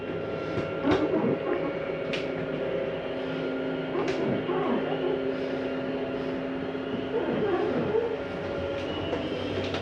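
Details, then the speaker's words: Jayco Eagle HT 27RS slide-out retracting, bottom coming in first because the slide mechanism is on the bottom; steady, even motor hum all the way with no grinding or binding; normal retraction. "notice the bottom comes in first [Music] it's just because the slide mechanism is on the bottom of these"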